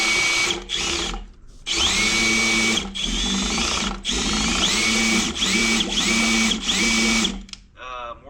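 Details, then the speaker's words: 1973 Ford LTD parked 38 years, oil pump driven by drill counterclockwise: whines in bursts, pitch dropping and straining under heavy resistance after a brief free moment; oil present, something possibly stuck, cause unclear. "that counter clockwise oh there's a lot of resistance on there you see there was that that moment where it was fine and then yeah I wonder if something was stuck in"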